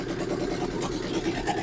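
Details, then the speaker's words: 1963 Ford F100 unibody first running after over 20 years: rough, uneven idle with light irregular taps, cut-off passenger-side exhaust pipe knocking the crossmember; no valvetrain noise. "the exhaust pop is cut off on this pasture side and it's tapping the cross member"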